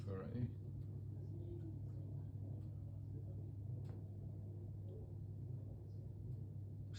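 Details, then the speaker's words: Hisense HDE3211BWUK electric cooker (new), grill-only selected, element cut out at about 232 and cooling down; the rear external cooling fan keeps running: a quiet, steady low hum with no rattle, scrape or speed change, running normally. "hear the external fire in the back so always going to try to cool himself"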